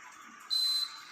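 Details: Indoor AC unit powering up after a new swing motor was fitted and its direction wiring corrected (flap had closed on switch-on, opened on switch-off): one clean high beep about a third of a second; normal start-up, flap now opens correctly.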